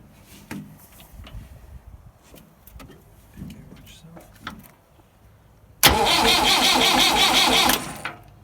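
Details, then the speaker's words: Massey Ferguson 175 tractor with new wiring and petcock, clutch in and in neutral while bleeding the fuel lines: the starter grinds about two seconds with rhythmic compression pulses but never fires. "It's kind of turning over. It's pushing out of 2. It's pushing fuel up to 2 fuel injectors. But I'm getting nothing out of the top vent of the fuel pump. She doesn't fire."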